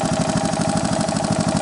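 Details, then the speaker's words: 1985 Honda ATC 125M after wrist-pin replacement and oil-jacket reseal fixed rod knock, bottom-end bearings fine: even idle putter, no knock, light tick owner attributes to a probably slightly stretched timing chain; normal idle. "The noise that you hear now is completely normal, obviously, because there's nothing mechanically wrong."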